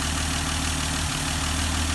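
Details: 198 Slant Six in a 1971 Dodge Demon after sitting 30 years, with old orange gas replaced by fresh premium and a new fuel filter, started without starting fluid: steady low rumbling idle, even beat, no knocks or misses; alternator charging.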